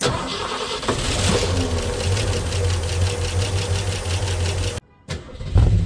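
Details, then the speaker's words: 1965 Ford Mustang 289 V8 barn find, parked 29 years, points cleaned, run on ether: cranks and fires into an even idle with a steady beat before cutting and picking up again; all cylinders seem to be firing. "Uh so we I think we can confirm that it's running well enough. All cylinders seem to be firing."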